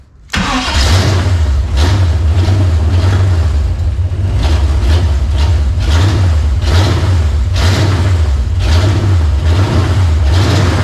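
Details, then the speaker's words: 1940 Plymouth with swapped-in ex-94 TBI truck Chevy 350 on carburetor, aluminum intake, headers, X-pipe, new HEI distributor; first start, fires quickly into deep loud slightly rich V8 burble, being flooded by pouring fuel; strong normal running. "well you got it boy look at that wow that thing sounds oh it's strong isn't it"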